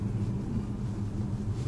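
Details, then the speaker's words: Audi after chassis work, including engine and transmission mounts and new bushings or control arms, on a road test. Only low, even road rumble with no knocks, clunks or rattles: the chassis noise is gone and the suspension is quiet. "还真是的，一点异响没有了。这弄完了，舒服多了，开始真不一样。"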